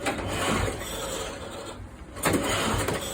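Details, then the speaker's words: Motor-assist tandem trike moped, cold start: repeated ratcheting cranking bursts, the engine turning over but never catching. Owner suspects it was stored with an empty tank. No-start from fuel starvation. "I may not even have fuel in this. I may have done a good thing and put it away empty."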